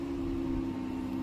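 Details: Dodge Caravan idling after a no-power, no-start fault was fixed by cleaning the dirty battery connections: steady even idle, constant low hum, no knocks, misses or squeals; engine healthy.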